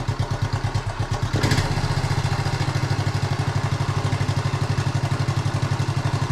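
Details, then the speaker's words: 1976 Honda Z50J1 Monkey after a new spark plug and a coil change, while the carb mixture screw is turned in and out. A low, lumpy idle that stumbles as the mixture goes off. Rough running during carburettor mixture adjustment. "Just turn it into where it wants to die. About there. And then turn it out till it wants to do the same, if it will. Starting to run rough there as well, so"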